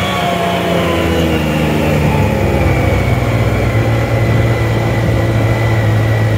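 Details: Yamaha YXZ1000R with the engine hanging at high idle, rpm sagging slowly instead of dropping back. Throttle sticking open slightly was diagnosed as misaligned throttle-body butterflies.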